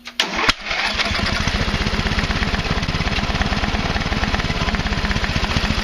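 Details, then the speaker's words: Craftsman Hydromatic with a 15.5 hp Briggs and Stratton OHV engine, previously flooded with far too much oil: after the oil is corrected to the proper level it cranks, catches and settles into a quick, even single-cylinder beat; running normally. "As you can see, obviously it runs now that it's got the correct oil in it and stuff."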